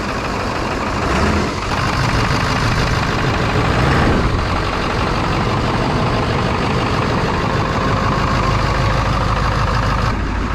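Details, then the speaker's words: 1999 Ford F250 Super Duty 7.3 Powerstroke diesel, abandoned over six years, first start with throttle wide open and glow plugs unknown: steady even clatter settling to smooth idle, no misses or knocks; some smoke, good oil pressure. "holder wide open imagine that it actually started"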